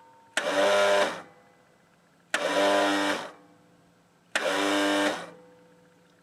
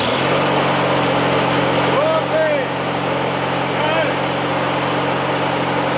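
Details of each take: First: Craftsman L 9 lawnmower after cleaning corroded battery leads: three short whirring bursts about two seconds apart, engine never turns over; starter fails to crank though starter switch and clutch safety switch are okay; starter later replaced. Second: Craftsman L9 lawn mower small single engine after a new replacement starter (aftermarket Briggs-type) was installed: smooth, even drone at steady speed with no knocks or misses; normal running after repair.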